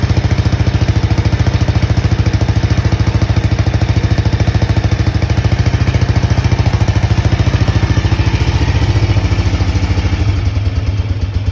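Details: Honda XBR500 single idling with newly fitted universal Viper silencers (about 6 of 10 loudness): deep, regular thumping at three to four beats a second, steady and even; normal idle.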